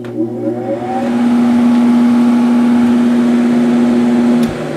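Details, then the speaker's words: First Sharp 8500 BTU window air conditioner test run after installation: steady compressor hum with fan whir, even running before cutting off; sounds good as usual, normal running. "Sounds good as usual."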